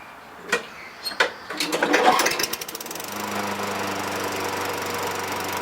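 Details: 2003 Toro Recycler 20016 with Tecumseh 6.5 engine, a trash find with carb and gas tank cleaned, restarted after cooling down. A few pulls and sputters, then it settles into a steady, even run with no misses or hunting. Earlier smoke is gone.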